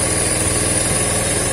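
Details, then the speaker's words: Yamaha Vega/Crypton after fitting a DC Shogun 110 CDI, trimmed pickup, regapped spark plug: steady, even idle with a smooth low hum, no knocks or misses; idle now runs high, needs lowering. "Oke dan coba hidupkan nah ini sudah enak banget ini"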